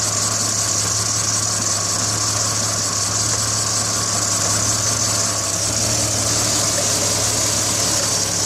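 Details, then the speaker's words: BMW 330i not responding to the accelerator pedal, as if starved of fuel: idle steady in level but slightly uneven beneath a loud hiss; misfire traced to bad spark plugs and moisture on the ignition coils. "add some gas to it when i finally started taking things apart i discovered some moisture on coils and of course bad spark plugs"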